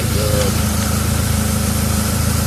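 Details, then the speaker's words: BMW E36 after oil filter housing seal leak repair, slightly overfilled oil, warming to mid temperature: short steady idle with even pulse, no knocks or ticks, sounds much better; normal idle. "sounds better already let it run a temperature for a bit make sure your temperature gauges in the middle already sounds much better"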